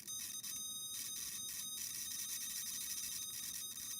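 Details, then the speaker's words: Cheap $4 digital multimeter on continuity check with the probes touched together: a high, thin tone that keeps dropping out and wavering, a sonar-like warble, unlike the $35 meter's solid beep. Warbling continuity tone. "that noise, sounds like a sounds like one of those sonar machines there when it picks up a weird transmission or something."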